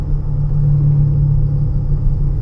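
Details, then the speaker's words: 2015 Honda Pilot with 64,000 miles at 25–40 mph: low whining road hum like an airplane, louder when steering left and quieter right, pointing to a bad driver's side wheel bearing. "this one have 64 000 miles only so 25 30 40 you can hear the whining sound the airplane if i put on the left a little bit more noise than the uh than the right side"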